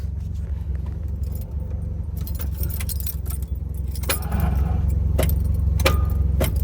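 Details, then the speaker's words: Cheapest V8 Fox Body Mustang, bought off Facebook Marketplace and stored under a tarp, tried with clutch pushed in; the starter turns sluggishly and unevenly and never catches, keys jingling; the battery is completely dead and won't crank it. "Needs some more. I mean, that battery is dead dead. You know, I would think it would jump, though, but I guess not."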